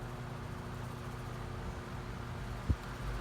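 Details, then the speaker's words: Floor fan on medium after oiling near the spinning shaft: quiet, steady low hum with no squeal or scraping, one faint bump; running much better, may still need more oil. "but it's working a lot better now might need more oil but I think this is good for now"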